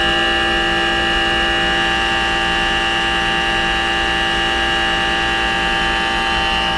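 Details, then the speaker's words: Trane 3D Scroll compressor in a rooftop pool dehumidifier, about five years old: steady loud hum with a harsh, whiny edge, no rhythm changes; worn, noisy scroll compressor. "it's stabilized together it's noisy I've been chasing the load on it but with the door closed it's quieter than a Goodman"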